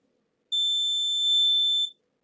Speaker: Ah, the capacitor was getting charged. So check here. You can hear the beep. The capacitor was getting charged.